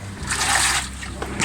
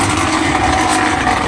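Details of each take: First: Top-load automatic washing machine after repairs to the noisy drain pump and other parts: water sloshing in irregular surges as the tub agitates, no knocking or grinding; filled to the correct level and washing normally. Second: Automatic top-load washing machine on spin cycle: loud rough grinding roar during spin that dies away as it slows; faulty noisy drain pump.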